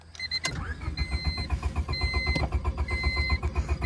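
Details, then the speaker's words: Honda Civic pulled from deep grass, nearly out of gas, before ether is tried; even rapid starter cranking about four turns a second with chiming warning tone, never fires; owner considers ether. "i think she might be a lost cause boys i wonder if i could throw a little ether in it"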